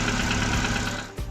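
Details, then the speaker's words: Chevrolet Cobalt 2013, B15D2/L2C engine, 91,700 km, at idle: steady quick knocking above the engine note; mechanic suspects excess clearance between piston and cylinder or between pin and connecting rod, often from worn small-end bushing; endoscope check planned. "вот такой звук происходит из мотора Это говорит о том что Ну и личный зазор любой между поршнем и цилиндром либо пальцем и шатуном"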